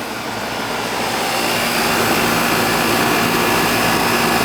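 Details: Older outdoor AC condenser with TXV after replacing a bad capacitor, about 5°F superheat, 12 subcooling, possibly slightly overcharged: steady even fan rush with smooth compressor hum, no rattles or cycling; running normally.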